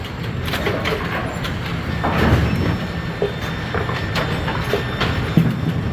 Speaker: We are sweeping away one standing pin. I can hear it. We have one scissor that is not working.